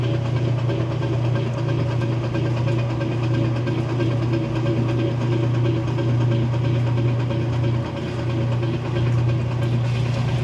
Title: Weird clicking noise when draining kenmore 70 series washer. Any suggestions on how to fix?